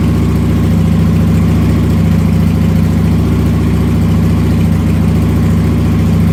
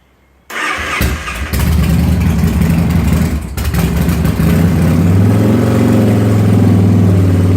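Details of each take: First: Motorcycle started with throttle blipped through its rough idle spot, after which it settles into a steady, even low thrum with a regular beat and no misses or stumbles; it then idles and runs fine without stalling. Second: Motorcycle after a cold start, with the throttle being worked: it catches, stumbles and surges roughly for a few seconds, then passes the rough spot and settles into a steady idle and runs fine. Rough cold idle; cause not confirmed.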